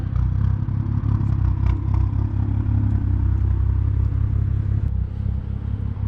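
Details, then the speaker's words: Tuned, daily-driven 2011 BMW F10 535i, 155,000 miles, heard from behind at the exhaust; deep even idle burble, no ticking, misses or rattles. Owner reports loud ticking from under the front only on winter cold starts, unknown cause. "but yeah man this thing sounds too good I can stand back here all day all day"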